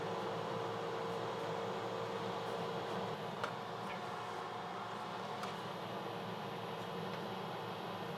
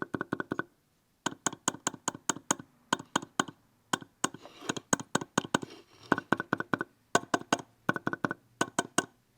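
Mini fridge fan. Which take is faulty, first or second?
second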